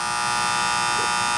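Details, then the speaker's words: Amana condensing unit, under warranty, that cut out on low pressure, running after leak repair and recharge to correct superheat: loud steady single-pitch electrical buzz while the contactor is pulled in. Pitted contacts and ants inside; contactor replaced. "Alright, we got the charge right, but I see why the contactor's humming. If you look right here and you watch these little fellas crawl,"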